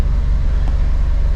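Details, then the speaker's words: 2009 Ford Ka, a Copart category N salvage car, inspected on delivery with no dash warning lights and the AC switched off. A low, steady idle pulse has an even beat with no ticks or hunting. Normal idle. "say it runs and idles really nicely"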